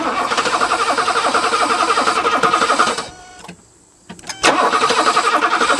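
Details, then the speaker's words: Pre-merger AMG Mercedes, sitting 27 years, first start: catches and chugs briefly, stumbles nearly to silence, fires again unevenly; runs only on starting fluid, fuel not being delivered, leaking fuel hose replaced. "it runs we got another one running guys it's unstarted fluid though and it should die"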